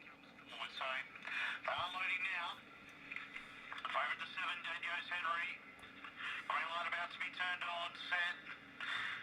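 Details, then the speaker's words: Cheap late-model transistor radio from an auction: thin, tinny talk over a steady low hum sounds harsh and distorted; owner suspects the speaker itself rather than the radio, unconfirmed. "That sounds absolutely terrible. is the um speaker itself, not the radio."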